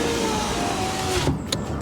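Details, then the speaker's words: 2012 Honda Fit rear window after replacing the back window motor: steady even motor whir over a second, stopping cleanly with soft thud; normal power window operation. "See if it works. I didn't fully install it. What do you know? It works."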